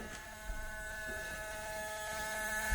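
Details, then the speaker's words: 2008 Mazda Miata (parts car) with wet electronics: steady buzzing tones and faint ticks heard in the background before starting; attributed to the Miata's electronics getting wet. "I don't know if the camera is picking this up but she's making some weird noises in the background"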